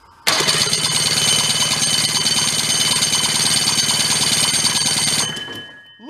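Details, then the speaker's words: Old Rockwell snowmobile engine salvaged from a barn, on its side and powered by a jumper pack, with the bendix cap lost: a fast, harsh whirring spin for about five seconds, then winding down; the starter bendix engages only about halfway. "pretty good it's again it's engaging about halfway my my fear is if we Whittle down any more on this this is not going to be stable so I I think we'd kind of leave it like that for now"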